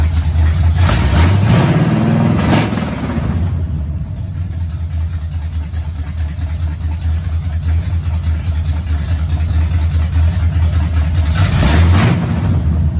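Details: 1969 Pontiac GTO barn find, 400ci V8 with TH400 automatic needing rebuild: deep, steady V8 rumble with a couple of throttle blips rising and settling cleanly, no knocks or misses; engine runs healthy.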